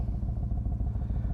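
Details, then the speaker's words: 2008 Yamaha Raider V-twin started after sitting about a week and a half without a battery tender: low, loping thump with slightly uneven idle beats; starts but runs a little rough. "i'm gonna see if she'll even start up little rough but she did it"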